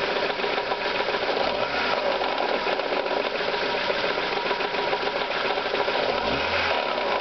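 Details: Ford Zetec engine at idle, warm at operating temperature: a fast, even sewing-machine-like tapping that persists after start-up and has grown from barely noticeable to alarming; a top-end knock, cause undetermined.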